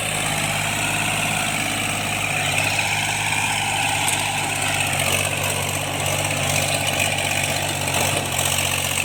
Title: cultivation after I fixed engine knocking tractors&marine MECHANIC